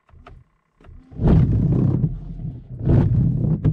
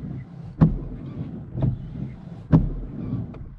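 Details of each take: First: Car windscreen wipers grip the glass too much, chattering in rough juddering bursts instead of gliding and not cleaning properly; fix is applying coconut oil to the blades. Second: Car windscreen wipers on a dry screen after coconut oil on the blades and polish on the glass, which had shuddered and squeaked before: low steady hum, soft thump at each end of sweep, no chatter or squeal; smooth wiper operation.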